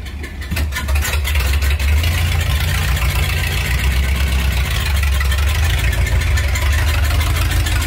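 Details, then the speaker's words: 1978 Dodge W100 Power Wagon V8 just started, before long-tube header install; loud uneven chuggy idle with raspy puffing at the manifolds where the tired old exhaust leaks: exhaust manifold leak. "Hear that old exhaust is just leaking nasty, so we're gonna get these long tubes on, have it not only sounding good but looking good too."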